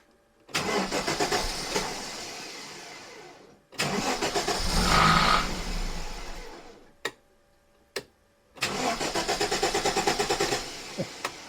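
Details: Aston Martin DBS resto-mod engine on an aftermarket Emerald ECU: several short cranking bursts, engine catching briefly then fading; hard starting, startup fuel trims suspected to need adjustment; earlier misfire eased after 20–25 minutes of run time.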